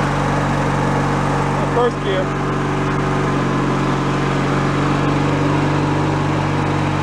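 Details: Free derelict Craftsman riding mower after repairs, function check with deck engaged, spindle checked not bent: steady engine, deck spinning smoothly with even hum, no bearing growl or squeal; all gears work; normal mower deck running.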